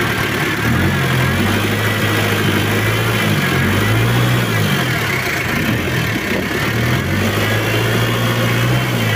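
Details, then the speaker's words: Chevrolet K5 Blazer with swapped Mitsubishi 4D56T (L200) turbo diesel, previously poorly set up, low power, limping, white smoke: revs climb and fall lazily, rough uneven note. Worn injection pump rotor head. "untuk gas-gasnya itu lemot banget suaranya juga kurang enak"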